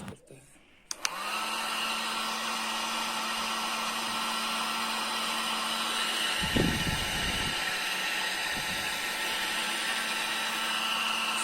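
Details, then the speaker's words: Foldable 1000 W hair dryer after repair of its noise problem: it switches on and settles into a smooth, steady hum and airy rush with no whistle, back to its original normal sound. "तो आपने सुना आवाज में कितना बदलाव आया है जो इसका ओरिजिनल आवाज होता है वहीं आवाज आप इससे निकल रहा है"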